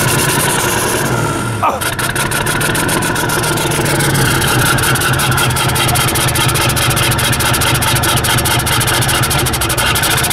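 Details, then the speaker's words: 1990 Ford F-Superduty with a naturally aspirated 7.3 IDI diesel, hard starting and white smoke: fires after cranking and settles into a loud clattery, weak idle that stumbles unevenly; rough running from a failing injection pump. "there you go sign number three a rough running engine so now you got everything you got the hard start the white smoke and the rough running it'll also sound weak like really weak like soy boy"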